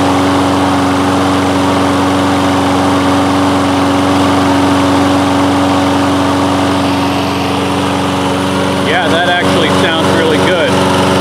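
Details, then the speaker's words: Toro Recycler mower, Kohler engine, after replacing the carburettor main jet with one from an aftermarket carburettor: smooth constant hum, no surging or hunting as before; normal running. "yeah so that feels pretty good sounds sounds much more smooth that's not surging or hunting as it was before"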